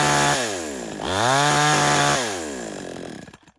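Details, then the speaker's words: Tomitsu chainsaw two-stroke during carburettor tuning, low-speed screw already backed out so it no longer bogs or stalls: revs climb from idle to a held high buzz, then sag, never reaching full revs; high-speed mixture screw needs adjusting. "ผมเมื่อกี้เราเร่งแล้วมันไม่วอดแล้วครับมันไม่ดับแล้วแต่ว่ามันยังเร่งไม่สุดเดี๋ยวเราจะปรับตัวที่ตัวเอ่อตัวกาดHighต่อนะครับ"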